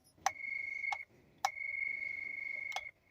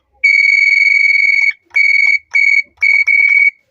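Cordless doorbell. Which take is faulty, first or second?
first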